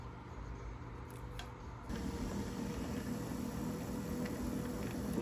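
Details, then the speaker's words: Golden Buzzaround XL mobility scooter (about 2004) that gave a 9-beep motor-failure code. Run directly on 12 V after thick grease was cleaned off the rotor, the motor starts quietly and spins to a steady, even hum with no knocking. Normal, smooth run. "to run nice and smooth and everything"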